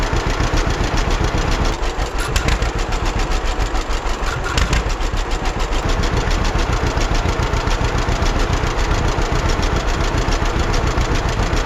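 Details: 1946 John Deere BN tractor on a 47°F day, after carburetor rebuild and governor throttle control rod adjustment to fix earlier surging: slow, steady putt-putt around 200 pops a minute, no hunting or surging. Running well.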